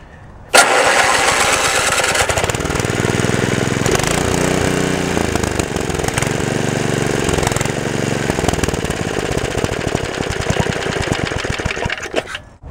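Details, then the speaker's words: Small engine at spring startup catches and runs rough and busy for about eleven seconds, then falters and dies; the diaphragm is working, the owner suspects it is getting too much fuel, cause unclear. "all of my engines are dying as for this one i don't know it's getting too much fuel you can hear the diaphragm working properly"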